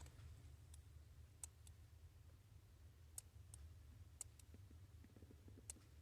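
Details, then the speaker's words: 2017 Infiniti Q60 with an intermittent no-start, relay reinserted during diagnosis: sharp, irregular clicks, about eight in six seconds, over a low steady hum while voltage does not drop, the relay chattering. "And it's actually clicking right now. The voltage doesn't drop."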